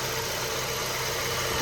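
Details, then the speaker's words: 2012 Honda Civic, 132,685 miles, idling after a Liqui Moly engine flush and a Valvoline 5W-20 oil change with Lucas oil treatment: steady, even, quiet hum with no knocks or ticks; runs smooth and quiet. "But so guys, the engine sounds really quiet. Like when you listen to this, it sounds really quiet."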